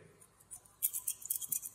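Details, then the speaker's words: JBL speaker driver, cracking noise during music playback; thin harsh crackling bursts over faint playback as debris in the magnet gap catches the cone so it can't move fully; the speaker frame is also bent. "যেনটা ঢুকছে যার কারণে এটা আটকা যাচ্ছে পুরাপুরি bumpy হচ্ছে না"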